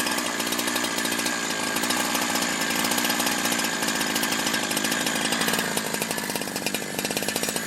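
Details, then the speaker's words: Holzfforma G372 chainsaw after crank seal replacement and new sealed bottom end, warmed up a few minutes: steady high-pitched two-stroke buzz holding even revs with no surging or dropouts, tune barely changed; runs cleanly and consistently at high speed. "all right so I've let it warm up for a few minutes and it seems to be running pretty consistently um tune hasn't changed that much"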